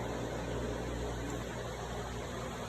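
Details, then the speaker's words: Hemi swap harness test with the prime button bypassing the relay to power the fuel pump directly; a steady, even hum with a faint whir as pressure rises and holds at 60 psi with the regulator regulating normally. "See, it goes up and it stops at 60. And right now, it's on fully pressurized and still running."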